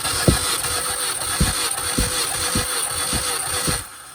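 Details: 2005 Mini Cooper S cranked for a compression test by bypassing the immobilizer with a jumper from the starter's yellow/black wire to the battery terminal. The starter spins the engine freely with an even pulsing whirr, no grinding or clicking. Normal starter cranking.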